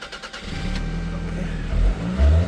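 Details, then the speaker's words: 1996 Toyota Camry 2.2 L four-cylinder, long parked and recently given new spark plugs: starts and revs up and back down cleanly in free revving, with a quiet, muffled exhaust and no knocks; normal. "Oh, must still have the cat on it. We might have to delete that."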